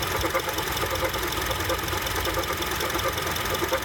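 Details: 2007 Honda CR-V at warm idle with AC off: loose, uneven clunk once or twice a second over the engine; it goes away when the AC turns on, cause unclear.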